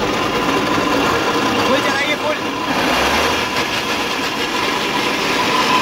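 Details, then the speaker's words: E-rickshaw with one rear wheel raised, run at full throttle: loud steady rough grinding roar that arose suddenly, seemingly from the drive motor, though wheel or crown gear also suspected; being isolated by lifting each wheel. "Full तो आपने देखा कितनी तेज इस पहिए से आवाज आ रही है जैसे लग रहा है इस पहिए से आवाज आ रही है या ऐसा भी लग रहा है कि मोटर से आवाज आ रही है"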